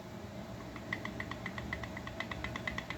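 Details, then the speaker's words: McCulloch 10-10 chainsaw bare crank turned by hand; sharp even clicking from a worn PTO-side bearing with excessive play; crank itself shows no wear, crank seal wasted, rings shot. "I don't know if you can hear that. I mean, I don't know if you can see how much that's moving around. That's too much."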